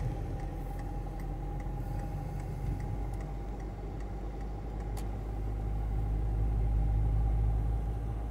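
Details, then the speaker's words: Steady high-pitched whine over road rumble while cruising on the way to the workshop for timing belt and oil change; driver suspects a CV joint or, more likely, the gearbox. "No, słychać, albo przegub któryś wyje, ale prędzej skrzynię."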